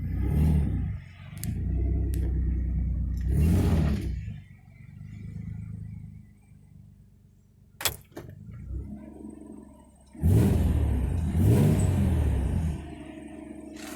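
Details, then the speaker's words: Nissan 300ZX after repair of loose, badly crimped coil pack wires: clean even rev bursts without stumbling or popping; misfire fixed. "this is what the brake on loading it so you can definitely tell there's no misfire now"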